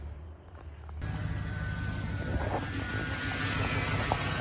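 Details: 2007 Chevrolet Tahoe with an earlier rough idle, after the aftermarket air filter was replaced (MAF previously swapped, throttle body cleaned): it catches and settles into a steady, even, smooth idle with no stumble, running normally.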